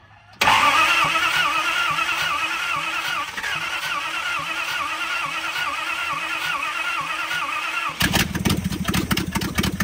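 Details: 1970 Dodge D300 wrecker, long-sitting, after gasoline was poured into the carburetor, one exhaust manifold missing: cranks, catches, settles into a lumpy idle with loud raspy exhaust puffs, then a sharp rev; it finally runs.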